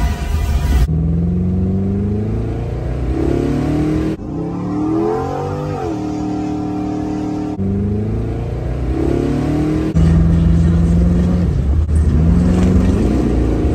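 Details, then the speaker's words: LS V8 after misfire fixed by testing faulty spark plug wire: repeated revs climbing and dropping smoothly, no stutter or skipped beats; running clean on all cylinders. "yes sir she ready it now our LS engine Miss five troubleshoot paid off it's fixed"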